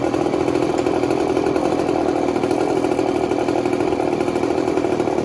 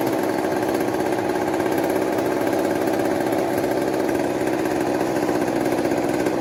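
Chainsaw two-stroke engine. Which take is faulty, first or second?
second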